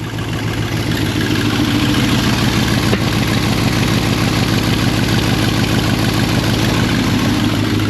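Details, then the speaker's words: 1970 Chevy C10 V8 running rough at idle: steady puffing pulse about three a second from exhaust leaks at the manifold collector ahead of the O2 sensor, drawing air in, reading lean so fuel is added. "so when you have an exhaust leak right in front of the O2 sensor then that sound you hear coming out since the exhaust system pulses air is going in and telling it it's lean so the fuel system is adding fuel because of the exhaust leaks"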